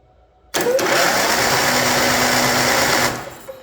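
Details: Craftsman YT4000 riding mower, about 10 years old, unused four years, rusty flywheel: steady whirring crank for about two and a half seconds with spark plugs out, even and free-spinning, no binding; cranks normally, good spark.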